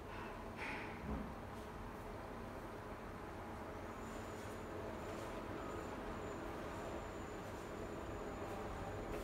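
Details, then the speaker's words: Siemens WG41A1X1TR iQ300 washing machine, 9 kg, 1000 rpm, early spin phase of a 13-minute spin that peaks midway: quiet, even rumble with a soft motor hum and faint rising whine, no banging; normal. "Yeni nesil çamaşır makinesinde sıkma işlemi 13 dakika sürüyor arkadaşlar. Sıkma işleminin ortalarına doğru sıkma devri en yüksek seviyeye çıkıyor."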